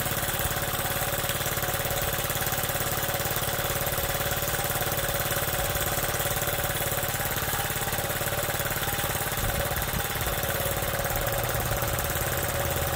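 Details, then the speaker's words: Honda Z50 single-cylinder, first start on bike with new spark plug: even, steady putter idle with no misses or surging; normal idle. "so when I put this new one on here, boy, that thing runs good, huh? Listen to that thing."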